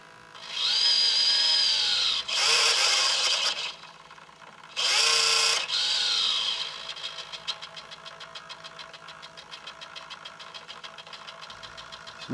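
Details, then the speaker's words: Hitec 785 sail servo holding a 1 kg sheet load: high-pitched motor whine in bursts, then rapid chattering as it fights to hold position, much louder than at 0.5 kg; the servo is straining under load. "this is now one kilo load and you can hear the noise it's much louder"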